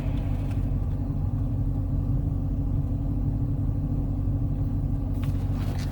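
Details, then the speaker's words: 2015 Dodge Challenger SRT 392 after replacing the 3.09 rear differential, in break-in: tight slow turn where growling occurred before; only steady tyre roar and road rumble, no growl or whine; healthy. "nothing nothing but tires I think we're we're looking pretty good so I'm I'm happy with that"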